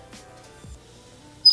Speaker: This iron is a little annoying because you can hear that it squeaks. I don't know why it squeaks, but it is freaking annoying.